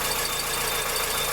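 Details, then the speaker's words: 2003 Fiat Uno with Fire engine at idle after filling up with bad fuel at a gas station: a rattly metallic knocking clatter. A mechanic advised running the tank down, adding a decarbonizing product and then refilling. "Olha o barulho que ele está fazendo. Coloquei um combustível aí no posto aí que eu não vou divulgar."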